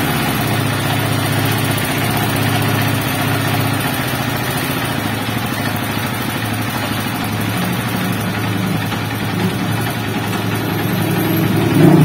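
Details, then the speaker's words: Honda TMX 155 single-cylinder just reassembled after a general overhaul for excessive engine noise, kicked first to prime oil: steady idle with an even, unhurried beat and no knocking or rattle. Healthy. "Ayos. Perfect. Napakaganda yung andar ng makina mga bro."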